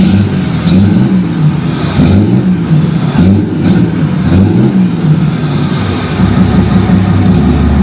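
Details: 6.7 Cummins Dodge Ram just after FASS fuel system install and priming with key cycles: cranks, catches and settles into steady even low-rumble diesel idle, no knocks or misfires; normal start and idle.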